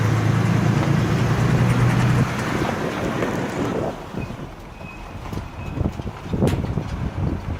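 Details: 2003 Ford E150 V6 running with a low rumble, uneven knocks and tinny rattles about four a second; partly a loose exhaust heat shield plus an unexplained knocking, cause suspected, not confirmed.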